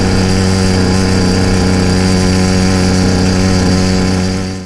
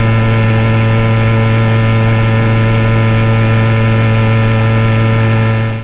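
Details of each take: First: YD100 motorized trail bike cruising at about half throttle: steady buzzing drone that gurgles and occasionally misses. Intermittent part-throttle misfire; suspected rich "four-stroking", being adjusted with the needle clip, and blamed for carboning plugs. It smooths out near 3/4 throttle. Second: YD100 motorized bicycle two-stroke riding a rail trail at about 3/4 throttle: smooth even drone at constant pitch, no gurgle, misses or four-stroking as at half throttle; running clean, leaned out well.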